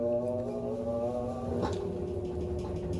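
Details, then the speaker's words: Amana washer model NTW4516FW1 in diagnostic mode, final spin: steady, even hum with smooth motor tone, no banging, grinding or knocking, not shaking; shocks likely fine, transmission sounds good, normal spin. "Not shaking anywhere or going crazy, so we know the shocks are probably just fine. Transmission sounds good."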